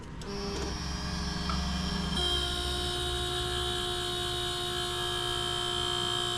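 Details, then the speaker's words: 2004 Suzuki GSX-R 750 at key-on with the engine off: a thin, steady electric whir and hum from the small cooling fan on the HID headlight. "sample, which comes from the fan on this super cool HID headlight beam that was"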